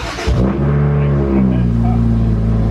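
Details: BMW 1M start-up right after refitting OEM downpipes, meant to cure its extreme turbo 'fart' start: crank catches quickly and settles into a deep, steady high idle with no pops or blatting from the exhaust. A clean, healthy start, clearly better than before.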